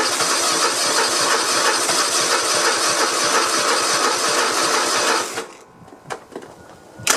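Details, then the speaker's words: Cub Cadet i1050 zero-turn with a Kohler Courage engine, left outside for years, with spark plugs fitted and fuel mix sprayed into the intake: steady cranking with just one bump, no start; owner suspects valves or lifters. "wow seems like it's it'll get one little bump you hear that but uh i can't remember if this courage series has hydraulic lifters on it"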